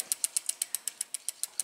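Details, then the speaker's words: Reassembled Shimano freewheel hub spun after overhaul: soft, even, damped ticks about eight a second, quieter than normal because spilled grease used to hold the ball bearings got onto the pawls. "it doesn't click as loud as you might hear this one clicking and that's because some of the spillover on the grease i used to hold the ball bearings in place"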